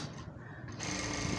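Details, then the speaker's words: Juki industrial sewing machine after timing reset to hair-width gap; quick, even whirr of stitching with no clacks or catches; timing now correctly set, normal running. "तो मैंने अलग अलग लगाया की इससे अच्छी setting नहीं हो शक्ति और यह देखें यह टाइमिंग बिल्कुल सेट हो गई है"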